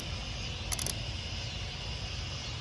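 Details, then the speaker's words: 2004 Chevy Tahoe 5.3, sat six months, battery freshly charged: 10 V found on computer casing, so a jumper ground is added from negative to engine; quick sharp relay clicks over low hum, then fuel pump primes, pump relay now energising. "cable and i'll put the other black lead on the engine you hear the relay quick"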